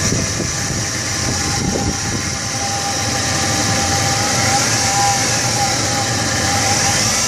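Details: 1999 Chevrolet S10 2.2L with 86k miles at idle: light, uneven rattle around four beats a second over a thin whine. Owner asks whether the timing set needs replacing. Timing chain suspected, unconfirmed.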